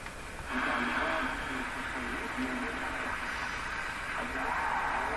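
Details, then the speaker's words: Philco Model 24T five-tube AM radio during alignment: weak AM station buried under hiss with warbling whistles and a buzzy tone on top; interference traced to nearby computer screens. "Listen to the radio and watch my computer screen. Any question about where the interference is coming from? Right from my computer screens in here."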